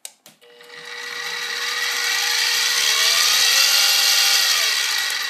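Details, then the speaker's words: SIEG X2D gear-drive mini mill, mounted low near the camera, spinning up in low range after a high-range run. Loud, steady high gear whine with an even churn and no knocking or grinding; little difference between ranges. Normal gear-drive noise. "Well, I'm not hearing a lot of difference between high range and low range, but let's now compare that to the belt drive machine."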